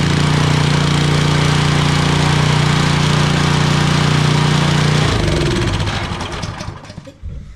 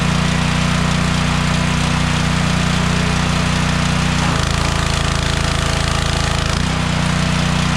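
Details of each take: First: DeWalt 3400 psi pressure washer engine, started with choke on: runs evenly about five seconds, then breaks up and coasts to a stop; oil found barely there, owner suspects low-oil level sensor shutting it off. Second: DeWalt 3400 psi pressure washer engine that kept shutting off after about 5 seconds, after bypassing the flow sensor: small engine thumps along steadily with no stumbling or cutting out, brief drop in tone under load; normal running.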